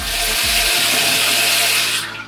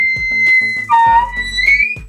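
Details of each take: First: Mixer tap after replacing the cartridges (kran-buksy): steady, even hiss of running water with no hum or vibration; tap no longer drips or hums. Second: Mixer tap with a worn cartridge (kran-buksa) giving a high, piercing whistle that slides in pitch as the handle turns; tap also drips when closed, so the cartridge needs replacing.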